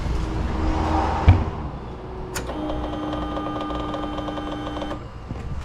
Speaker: you hear that that's just the the the motor uh priming itself so when you have the fuel injected you want to wait until that's done and then you want to turn it over